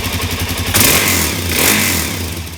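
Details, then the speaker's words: 2017 Suzuki DR-Z400S after priming the carburetor, old fuel left in carb during storage: catches and flares unevenly, revs surge and sag without settling to idle; lean stumbling, owner plans fuel screw at three turns. "i think i need to go to that three turns on the fuel screw so i'll do that off camera with my special tool"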